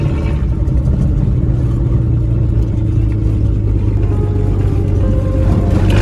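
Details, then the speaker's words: Ford AU Falcon off-road build after spark plug replacement fixed misfire, test drive in open field: smooth, steady low drone with no stumbles or popping; engine running well. "So I just changed out the spark plugs, and yeah, it's doing pretty good actually."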